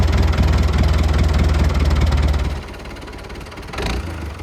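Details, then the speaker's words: Lifan 7hp GX200-clone engine on a Frontier OS18 sawmill after a head gasket repair for zero compression. It chugs evenly and firmly, then settles to a softer steady idle with no knocks or misses. It sounds healthy with good power. "it struggled too much, and seemed to have lots of power. Sounded okay too, so I think we got that figured out."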